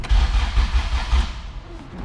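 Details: All-motor LSV Honda EF hatch, after refitting starter and fixing loose ground-strap bolts on the clutch-cable bracket, distributor unplugged: quick, even cranking pulses under a second; starter turns the engine over normally.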